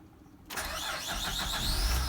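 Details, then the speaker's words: 2006 Honda Pilot first start after a water pump, timing belt and 100k service: the starter catches quickly and the engine settles into an even idle with no clatter or knocking. Normal engine start. "oh I hear nothing crashing it sounds good check things out not that I thought I did a bad job but you know I just never know I've never done this before sounds good sounds like a high engine it'll run 600 000 miles we hope"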